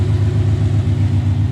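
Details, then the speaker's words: Coyote-swapped Foxbody Mustang after replacing a failed $2 part: low steady idle pulse, even, no misses; fuel pressure reads 60 psi; fixed, normal idle. "We'll call her fixed. Hopefully I don't fall. Alright. Not that you guys can see it. Straight down there. We are sitting right at 60 pounds of pressure."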